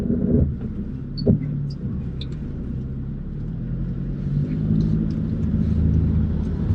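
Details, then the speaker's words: Rebuilt Audi S3 on its first test drive after four months of work, previous wheel noise thought to be just a tyre: steady low road rumble swelling gently with speed, no hum, drone, thump or scraping; normal tyre road noise. "the thing though there's no noise from the wheels if I'm not here in any scrape"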